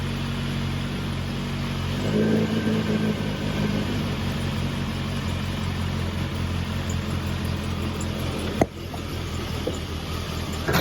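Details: Triumph Herald 13/60 with freshly rebuilt Spitfire-spec engine, first start: steady low even running with clean firing beat after a brief rev, faint exhaust tick, exhaust leak; water leak at rear head core plug. Normal running.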